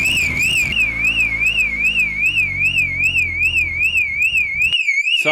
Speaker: don't know if you can hear me over the bloody annoying alarm but we need to disconnect it